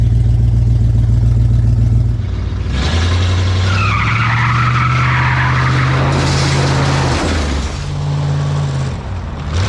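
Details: Junkyard-rescued 1970 Ford Torino GT Fastback V8, first start in decades, oil pressure up to 50 psi: deep steady idle dips and recovers as transmission engages, no knocking or missing; normal idle.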